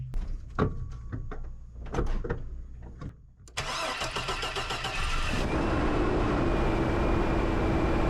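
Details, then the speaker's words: 2002 Chevy Blazer 4.3L V6 Vortec, first start after sitting about 5 months, following transmission shift solenoid work and a refill with Dexron: a few cranks, a quick catch, then a steady, even idle with no misses or knocks; the engine runs normally. "That fired right up. I mean, that runs pretty dang good. These engines are awesome."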